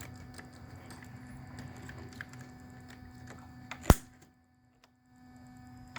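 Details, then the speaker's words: 2004 Chrysler PT Cruiser with a P1188 code: a solenoid plugged in directly gives one sharp click over a quiet under-hood hum with light ticks. The solenoid is switching normally. "the next thing i want to do is i want to plug the solenoid directly in to listen to the solenoid click off"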